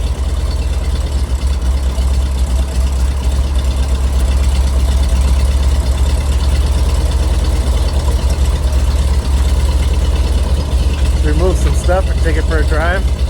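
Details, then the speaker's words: 1973 GMC cabover with 366 big block V8, four-speed and two-speed rear end: deep heavy idle that lopes unevenly and sags as if about to stall after Seafoam was added; rough unstable idle, owner expects it to clear out. "well what do you think I it's going to run a little rough with that seafoam in there I think it'll clear out"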